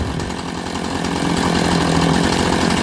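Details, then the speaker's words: Chainsaw after setting the chain with about 60 thou gap below the bar: steady buzzing two-stroke idle, even and settled with no hunting or stalling; idles cleanly and sounds healthy. "just listen to that your chainsaw probably isn't either that well that's a good Idol I'm gonna grab it and rip it up pay attention to that ramp"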